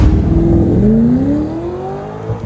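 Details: Audi R8 4.2 V8 with automated-manual single-clutch gearbox, after brake jam and clutch-overheat warnings cleared and engine oil service: revs rise cleanly with smooth rising pitch, no knocks or misses; normal running.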